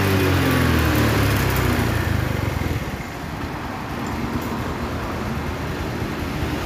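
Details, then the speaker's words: Honda Vario carburetor scooter, hard cold starting: engine revs hard then drops to lumpy unsteady idle and dies, black exhaust smoke; carburetor fault or mis-adjustment suspected, not confirmed. "tadi sudah Kedengaran bahwa dia itu tidak mau stensioner yang pertama ketika habis Dikas pol week ngekek dia itu langsung dududukduduk tiba-tiba mati oke dan di bagian knapot itu ada ngebul hitam"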